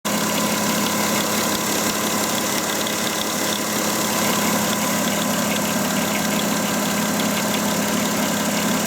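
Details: Volkswagen Touareg idling with a steady hum and a busy rattly noise on top; engine noise source could not be determined.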